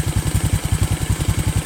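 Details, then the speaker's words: Honda Karisma single-cylinder motorcycle after overhaul, idling after a few kilometres of riding then a stop to cool down: steady, even thump about eight firings a second, no misses or knocks; engine idles smoothly. "kemudian saya berhenti untuk apa namanya menurunkan suhu mesin dan suaranya tetap stabil dan"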